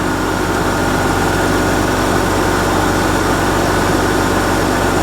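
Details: 2001-06 Hyundai Santa Fe idling after an alternator replacement; smooth, even idle with a steady low hum and no knocks, ticks or whine; engine and charging system healthy.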